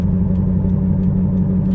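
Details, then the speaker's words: While driving, a Prius with a very flat tire, possibly a nail: low heavy rumble with an uneven flapping beat while rolling, the car running on a badly flat tire. "Well, we have an issue with the Prius. We have a very flat tire. So flat, I'm surprised it's still on"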